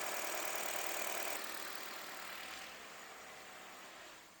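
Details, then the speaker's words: Toyota Wish engine after replacing the worn alternator pulley that caused engine noise; starts and settles into an even, quiet idle with no squeal or chirp from the belt side: normal idle after repair. "trocou a polia acabou o barulho agora o motor tá silencioso normal o barulho do motor"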